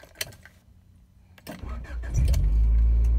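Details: 1994 Honda Accord, long-standing no-start, after replacing the main relay: key clicks, brief crank, then catches quickly and settles into a steady low idle; normal crank and start.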